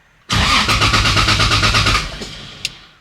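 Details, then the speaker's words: 2JZ-swapped Nissan 370Z Nismo on E85, first start attempt: steady cranking at about three turns a second for nearly two seconds, never catching; spark and fuel confirmed, owner suspects the ECU. "Well, pretty much everything's getting spark. It's getting fuel."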